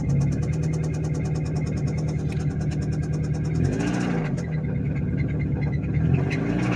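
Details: Nissan Versa small four-cylinder with existing rod knock, broken down, plugs cleaned and gapped without much improvement: rough idle with a low regular rapping that sharpens when revved; rod knock.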